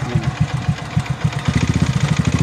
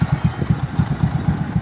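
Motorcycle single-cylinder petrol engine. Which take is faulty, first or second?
first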